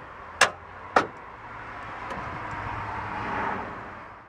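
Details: Truck that just clicks when started: two sharp clicks about half a second apart as the key turns, with no cranking; a low battery is the first thing to check.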